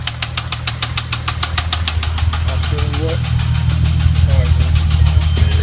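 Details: VW VR6 at idle, third start after timing chain and clutch replacement: steady idle with sharp knock about three per second, sometimes going away; possible jumped timing suspected, cause not confirmed.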